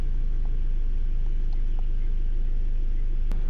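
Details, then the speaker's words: 2002 Toyota RAV4 with a used replacement engine from a 2003 RAV4, after clearing codes (suspected bad O2 sensor). Smooth, steady low idle with an even beat and no misses or knocks; running normally. "it sounds like it's running a little better all right let it run for a couple minutes"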